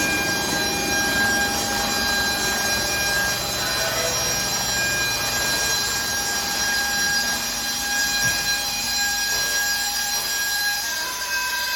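A steady, high, whistling tone sits over a constant hiss once the system reaches full pressure; it is abnormal, and the cause is not clear.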